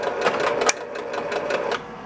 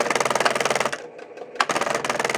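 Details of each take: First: 1966 Williams Full House electromechanical pinball after fixing the kickout switch, whose bent separator had shorted the leaves and kept the relay firing: a few relay clacks at power-up, then quiet with no repeated firing, normal. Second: 1966 Williams Full House electromechanical pinball, left flipper: rapid buzzing chatter in uneven bursts, about four clacks a second; ohmmeter shows the left flipper coil winding open, unlike the good right coil at about 8.7 ohms.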